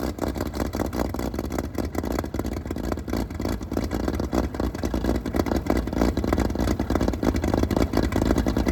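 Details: Fully restored 1935 Stancraft inboard six, the oldest known surviving Stancraft, in raw unedited footage; deep, steady roar holding an even beat with no knocks or misses. Normal running.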